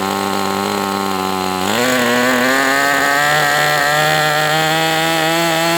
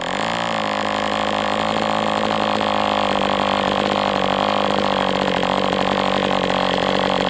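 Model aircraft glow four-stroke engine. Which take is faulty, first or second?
second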